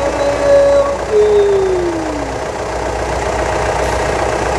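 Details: 2015 Mitsubishi Triton 3.2 diesel after EGR pipe weld, engine oil service and code clearing: brief whistle falling in pitch, then steady even clatter with no misses or knocks; codes did not return, running healthy.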